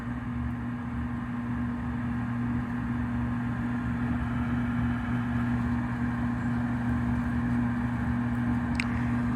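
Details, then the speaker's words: 2009 Trane gas furnace with the inducer jumped out and the pressure switch cleared of water: a steady low roar as the burners fire normally. The tech concludes a new control board will fix it. "okay so obviously a board will fix this furnace we've jumped out the inducer got it going got the water out of the pressure switch everything is fired up blowers going and every"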